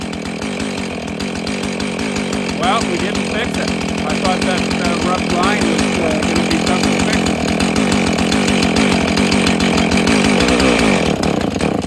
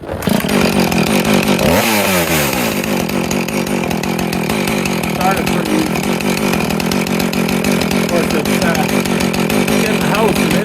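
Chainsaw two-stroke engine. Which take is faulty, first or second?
first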